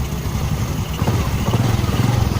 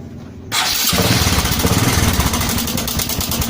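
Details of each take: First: Honda Supra 125 after adjusting the cam chain tensioner with a screwdriver. Steady, even low thumping idle with the earlier tick-tick noise gone. Cam chain now quiet and the engine healthy. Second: Honda Supra 125 with a rough engine noise, checked to tell cam chain from tensioner: small single fires up with a loose, clattery rattle over the idle that doesn't settle. Likely a slack cam chain.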